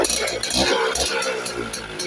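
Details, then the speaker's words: Yamaha Mage 100 scooter that wouldn't start after sitting 4–6 days despite carb cleaning and plug cleaning, after replacing genuine Yamaha ignition coil, started after 5 days sitting: fires at once, even steady idle; normal start and idle. "สตาร์ททีเดียวติดนะครับช่วงหลังมานี่สตาร์ทง่ายเลยนะครับ"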